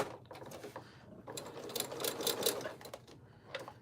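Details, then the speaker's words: Sewing machine with walking foot fitted, stitching through very thick layered fun-fur fabric: uneven bursts with stops and restarts as it labours and hesitates, being persnickety around the head section. "See, it's being a little persnickety up on that head part there."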